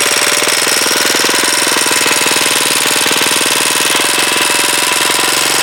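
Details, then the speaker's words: Huoniao HN125 single-cylinder, freshly installed engine: fast, even ticking over a steady idle, a light metallic clatter from the top end. Valve tappet rattle; runs reasonably well apart from valve clearances that need adjusting. "it runs it runs reasonably well apart from the tap it's wanting doing uh valve clearances"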